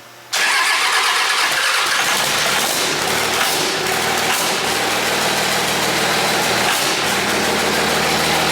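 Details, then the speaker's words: Rebuilt Cummins Dodge show truck, first start after teardown, rear tires off the ground, an old drain O-ring leaking: brief crank and immediate catch, then an even, steady diesel clatter with no miss or knock; touchy, runs really good. "She sounds beautiful, guys. I told you I thought it was pretty touchy, didn't I? Yeah, you did. Yeah, it's very touchy. Yeah. It runs really good."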